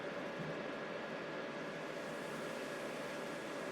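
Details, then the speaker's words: Thermalright Assassin Spirit V2 CPU cooler fan on a Ryzen 3600X under gaming load: steady airy rush with faint even hum, no rattle or tick; fan spinning fast, normal. "I can hear the fan really going now."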